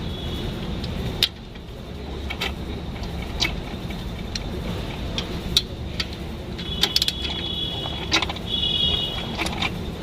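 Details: Diesel Jeep Compass idling after a new clutch set and pressure plate were fitted: light mechanical whirr as the clutch is worked. This is normal clutch noise, not a fault.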